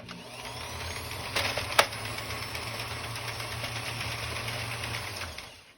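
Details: Power unit for an Addi after setting belt tension with the frame nut and motor slider (a good little thump, not too tight): smooth, even motor hum at a steady pitch with only a couple of light clicks; runs cleanly.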